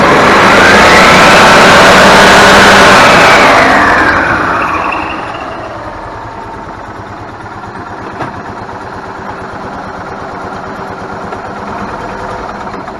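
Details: Club Car golf cart engine after ignition repair (replaced RPM limiter box restored spark): catches, revs hard a few seconds, then settles into a quiet, even idle with no misses; starts and runs normally.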